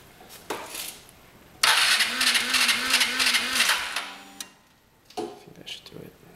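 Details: Vespa GTS 250ie scooter that won't start. The starter cranks with an even pulse about three times a second but the engine never fires; the cause is unknown.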